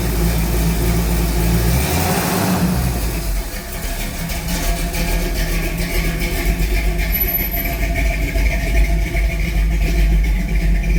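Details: 1969 Pontiac Firebird V8 brought in for a fuel vacuum issue, with a very old fuel pump, after sitting a while: catches, settles into a lumpy idle and takes throttle blips cleanly with no knocks or misses.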